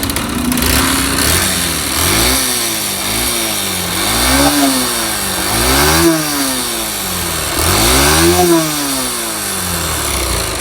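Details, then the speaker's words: 2005 Yamaha YBR 125 found with oil level very low, below dipstick mark, new oil added: engine blipped repeatedly, harsh rattling knock rising with revs, smoking, oil leaking at engine gasket; internal knock suspected. "a gente colocou um óle novo ela começou com esse barulho de motor e começou a fumaçar ó"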